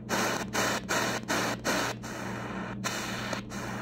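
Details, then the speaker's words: Choyong LC90 medium-wave/FM/shortwave receiver tuning shortwave, e.g. around 13600: a steady low tone sits under the hiss and static and never changes with the station; these are internally generated carriers (birdies), the set's major fault. "look how many of them so this is a major problem that needs to be fixed once again birdies"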